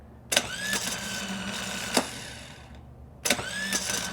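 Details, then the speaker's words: 1956 Cadillac starter on the bench wired to a battery with the switch held on; the cranking whirr drops out and restarts on its own, because grease and oil inside the housing and on the armature break the contact. "I'm going to hold it on there. Oop. Little Come on. Look at that. See that? I'm not letting off of it. It's doing that on its own."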